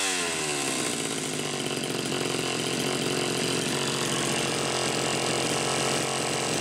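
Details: Homelite Super XL Automatic chainsaw, reported smelling hot, on ethanol-free TruFuel, almost warmed up: steady even high-pitched two-stroke buzz, no surging, bogging or throttle lag; running clean and healthy.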